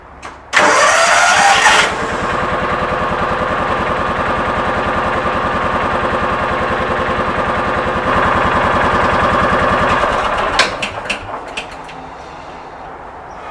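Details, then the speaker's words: 2000 John Deere 4X2 Gator, first start after ignition coil replacement: short crank, then it fires and holds a steady, even idle with no misses for about eight seconds before shutdown. Normal start, not yet warmed up. "that's a good sign for today that's the first time it's recranked it had not run very long to warm up"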